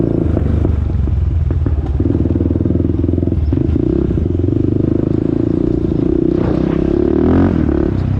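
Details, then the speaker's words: 2001 Honda TRX400EX quad, single-cylinder, retest ride at about two mph after a ticking noise was heard earlier: steady thump with machine rattle, no engine tick heard; normal running. "so now we're gonna be doing you know a new test run y'all to make sure we don't hear that ticking noise no more"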